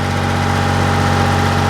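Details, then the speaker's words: Ford 335 industrial tractor diesel at low idle after ATF and Stanadyne fuel treatment added for a sticking injection-pump return pressure regulator piston: smooth steady firing, no stumble or knock; normal idle. "cylinders firing just like they should"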